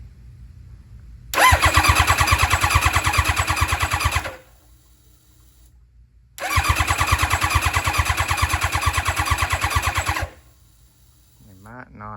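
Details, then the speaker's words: Championship-winning nitrous Hayabusa drag bike revived after years of storage, with the fuel pump and ignition plugged in and oil pressure monitored: two bursts of steady starter cranking, about three turns a second, with no firing at all. It cranks but won't start; cause suspected, not confirmed. "have something plugged in cuz don't sound like we got no fire."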